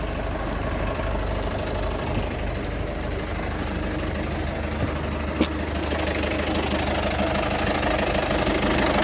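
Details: 2008 Citroen Berlingo 1.6 HDi with a full service, timing belt, water pump, new turbo, EGR valve and fuel sensor, and no fault codes. Uneven, noisy rough idle with a harsh knock about three times a second over diesel clatter; started August 2021, cause unknown.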